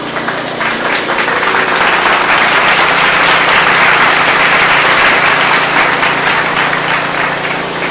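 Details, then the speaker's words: Craftsman 179cc 22-inch snowblower (Powermore engine, had a surging problem), pull-started after work on it. At wide open throttle it holds a steady, even buzz with no surging, so the surging is fixed. "Look at that, baby. Wide open throttle. No surging."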